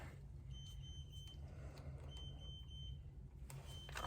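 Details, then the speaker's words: Harley Road Glide with SYKIK wireless TPMS: high electronic beep in three bursts about every 1.5 seconds as a sensor is removed and the tire loses pressure (about 35 psi). "oh as soon as we take it off you can hear it up there beeping so it's saying it just lost pressure"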